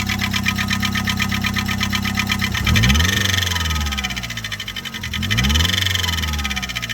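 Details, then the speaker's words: High-compression turbo 1.6L Miata just after a coil-on-plug ignition upgrade, engine shut off after hard driving; revs with sharp rhythmic tapping. Engine knocking noise, owner suspects stuck lifter or rod knock. "oh and then it just shut off did I just rod knock my [Music] engine I think I did sounds like rodn"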